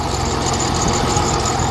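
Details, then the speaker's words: Dodge Nitro 4.0 V6 at idle with a possibly weak battery; thin steady high squeal over a smooth, slow idle from a squeaky belt or pulley, not replaced at customer's request; some valve train noise also present. "And it runs. Although it's got a squeaky belt for pulley."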